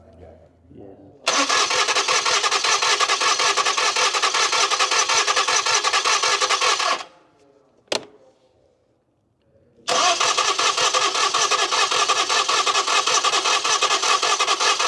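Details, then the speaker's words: Crank no-start car, ether did not start it and it was cranking fast; during the compression test the starter spins freely and evenly with no catch; readings 95–125 psi against an expected 140–150, low compression. "So we did a compression test. It's ranging from 100 psi to 125. It's a little bit low, but that's all the customer wants to do at this time."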